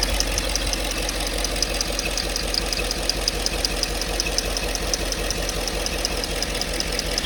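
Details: 5.3 V8 at idle: light, sharp tapping at roughly three per second, fairly even; odd tap whose source cannot be pinned down by ear.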